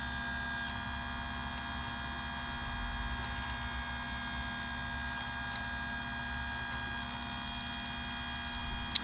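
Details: Chicago Electric electric chainsaw sharpener sharpening a Stihl chain at 30° angles; steady, even motor hum with a constant whine and no rough scraping or surging. Sharpener running smoothly and normally.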